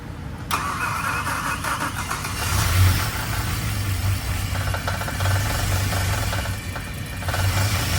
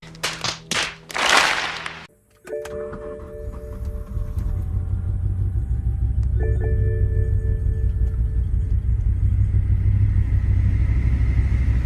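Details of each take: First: Abandoned BMW M6 V10 6-speed manual, after refilling oil and coolant: long crank to build oil pressure, then catches and settles into a steady, even idle with no knocks or misses; normal first start. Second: 2008 BMW M6 V10 six-speed manual barn find, first start: after a few clutch clunks the engine catches and idles with a slightly uneven stumbling beat, one cylinder misfiring; throwout bearing also suspected.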